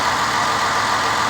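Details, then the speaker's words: 2009 Ford Escape 3.0 after repair for cylinder 4 misfire and P0174 bank 2 lean codes, cold start: steady even idle, no misfires, stumbles or vacuum-leak hiss; injectors working, engine healthy. "that's a fix the engine sounds very healthy and a quote startup sounds perfect i'm really happy this tells me there's no vacuum leaks fuel injectors working as it should"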